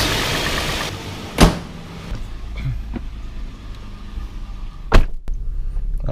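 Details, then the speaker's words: 2006 4th-gen Toyota 4Runner after oil and filter change and catch can check at 7500 miles: low even hum holds steady under door clunks, no misses or knocks, no leaks at drain or filter; idles very smoothly. "All right, and it's running very smoothly, so we are good to go."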